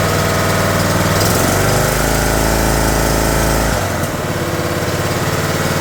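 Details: John Deere D110 mower engine rebuilt from parts, started on choke with throttle cable connected, oil just over full mark: fires and revs up, then steady even putter with no misses; runs smoothly at idle.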